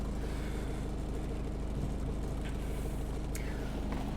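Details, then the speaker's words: 1992 Toyota Corolla AWD diesel wagon, started and idling before a drive. Steady, unhurried low diesel clatter at idle with no knocks or misses: normal healthy diesel idle. "So with that said, why don't we fire this little guy up so you can hear the engine."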